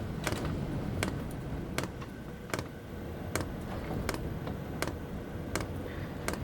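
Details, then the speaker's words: Chinese eBay diesel heater installed under the sofa in a camper van, at startup: sharp evenly spaced ticks about every 0.75 seconds over low fan rumble from the diesel fuel pump; normal pump ticking. "if you listen closely you can hear the diesel pump kicker now"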